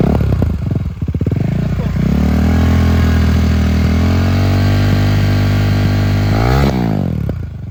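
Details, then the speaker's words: KTM Duke 390 in neutral, with the tick noise attributed to a failed chain tensioner: after a couple of blips it settles into a steady, even idle with no top-end ticking, then revs once more; normal engine sound. "देखो भाई, 390's engine का शोर ये हो रहा है, भाई। यह सामान्य शोर।"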